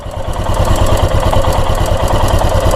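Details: Royal Enfield Himalayan single-cylinder idling with quick light tik-tik ticking over its thump, timing chain noise.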